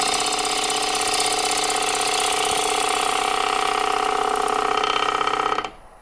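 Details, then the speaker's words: Dry apple wood salad bowl on the lathe, light uphill gouge pass; steady cutting hiss with a sharp tap about four times a second, once per turn, as the gouge rides over a knot; gouge cutting over a knot. "You can hear the knot. It's not a perfect cut or pass, but it does clean it up, and you don't see that same tear out you got with the downhill cut."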